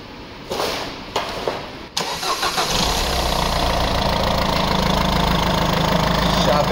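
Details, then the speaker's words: Peugeot diesel after a new cover, new intake and cleaning, restarted for a check: short crank, clean start, then a smooth even idle with no misses or rattles; starts and idles normally. "Se pornește, se aude ok, o să dau să verificăm și pe jos și pleacă mașina."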